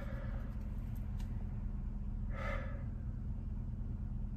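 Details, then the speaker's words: 2014 Chevrolet Silverado V8 after tune returned to stock following a cylinder misfire: settles into a steady, even idle with deep low rumble, no stumbling or missing; running normally now. "yeah she's running normally now"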